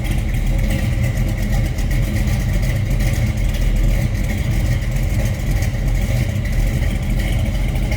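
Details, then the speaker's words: 1972 Chevrolet Camaro with a 454 big block (from a '73 Monte Carlo or Chevelle) and a Turbo Hydramatic 400 automatic: deep, steady, even idle rumble with no knocks or misses and a moderate, not obnoxious exhaust. "Sounds good. Nothing over the top, obnoxious exhaust or anything like that. Just a nice rumble out of that big block."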